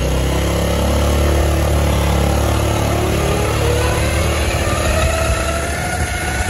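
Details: Honda Beat automatic scooter while riding: faint whine rising and falling with road speed over the engine drone; final reduction (ratio) gears in the gearbox found worn down.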